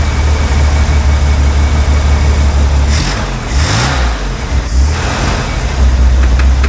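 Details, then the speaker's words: 60-year-old Corvair that sat in a field 20 years, running on old stale gas: steady low drone, then stumbles and hunts as it runs out of fuel; either the fuel pump isn't pumping or the fuel line is blocked. "out there it ran out okay we're out of fuel so either the fuel pump's not pumping or there's a blockage in the fuel system"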